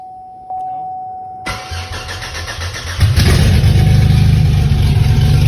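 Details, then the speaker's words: Pontiac Grand Prix start after fuel system priming: chime, brief crank, engine catches and settles into a smooth even idle, no misfire, running healthy on all six cylinders. "It's running healthy. Sounds good. He's hitting on all six."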